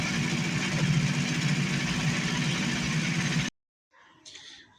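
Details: 1980 Chevette barn find with inline four-cylinder GM engine, stopped about a year, run on gas poured into carburetor: settles into a fairly steady idle with low even pulse before cutting off abruptly; normal idle.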